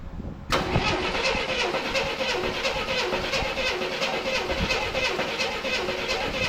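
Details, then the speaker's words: 1984 Chevrolet C10 pickup, inline six, 84k miles, parked since 1993: starter cranks steadily with gas poured in the carburetor but never fires; plug to be pulled. "Okay, it's not working. So, let's pull the plug."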